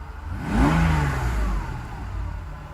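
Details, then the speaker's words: Mercedes SL600 V12 after mass airflow sensor wiring repair, stationary, heard from inside, about 80 degrees: quick blip rises cleanly and idle recovers, no misses or knocks; healthy acceleration rev. "rock steady idle as a smell out of the exhaust acceleration acceleration is good idle recovers"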